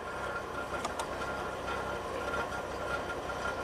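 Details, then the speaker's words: 2003 Pontiac Grand Prix V6, 325k miles, codes P1635 5V reference and P0107 MAP low: uneven stumbling lumpy idle, EGR pipe scalding hot from massive EGR flow, suspected overheating sensor pulling down 5V reference; rough idle from excess EGR flow. "yeah so I touched the EGR pipe it's scalding hot we have massive uh EGR flow here so this thing is probably well it's overheating messed up the sensor pulled down the 5vt reference"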